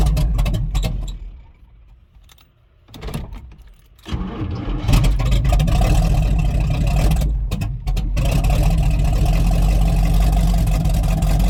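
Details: Rotted Chevy Squarebody truck with a 454 big-block V8, started on jumper cables with the fuel pump switch on: it cranks, catches after a couple of seconds and settles into a deep, even, healthy rumble. A hydraulic fluid drip is getting worse, but it sounds good.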